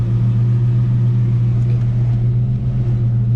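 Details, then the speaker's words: Project 4TO8 Mustang V8 with brand-new battery and alternator, started for a quick test: fires right up into a deep, even idle burble with no knocks, ticks or misses; normal idle. "It fires right up. I mean, it's just kind of starts up and does its thing."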